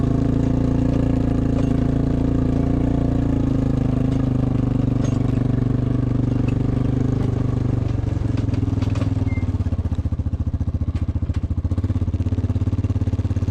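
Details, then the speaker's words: Diesel engine of 307SSR excavator after overheating repair, deep steady drone holding even while pushing dirt, no knocks or misses; runs normally, water temperature steady, overheating fixed. "Okay, we've been running for some time now. We got this far and my water temp hasn't moved. My problem is definitely fixed."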